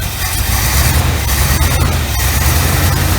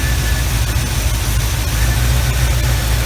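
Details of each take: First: 1975 Chevy Camaro V8 idling cold on electric choke: rough, loping rumble with uneven stumbling beat; one cylinder missing. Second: 1975 Chevy Camaro V8 at idle after fixing a skip from a cylinder not firing, now smooth and even with a steady beat, no stumble, firing on all cylinders; normal idle.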